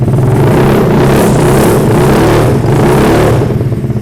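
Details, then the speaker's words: Custom Ruckus-style Honda Metropolis scooter with upgraded CVT, 6-inch rear wheel and bassy aftermarket exhaust tuned within dB limits. It idles soft and low, then revs with a deep, fierce but not noisy note, even firing, healthy. "Dan juga kalau posisi lagi nggak di gas, ini posisinya adem aja gitu, ngebas pelan gitu. Tapi ketika di gas suaranya juga lumayan gahar."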